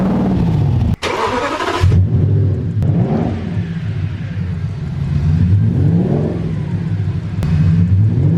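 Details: Cheap V10 flip car, engine started before the fix and OBD scan: it revs up and settles into a fairly steady run, but a slight unevenness in the beat suggests a lingering misfire on one cylinder. Engine misfire.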